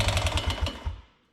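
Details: 1988 Honda TRX125 Fourtrax quad, first start after fixing no-spark with a new CDI, choked: heavy, rapid hammering clatter from fire-up then dies off; rod bearing or crank problem suspected.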